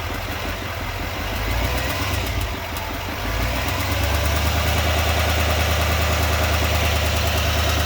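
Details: 2020 Chevrolet Silverado 2500HD Duramax diesel at idle, with a fairly even light tick about three per second over the rumble. The owner asks whether it is normal; the cause is unknown.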